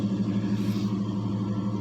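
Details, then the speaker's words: Jeep on a cold start with 10W-30 at almost 50 psi oil pressure: smooth, deep idle with no ticking; the lash adjusters are now quiet and were possibly just gummy. "It's got 530 in it, or 1030 in it, and we're sitting at almost 50 pounds of oil pressure on a cold start."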